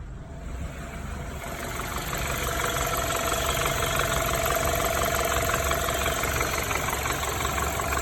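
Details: BMW N20B20 engine after engine damage. Uneven metallic rattle about three per second over the idle, growing slightly louder; cause not identified.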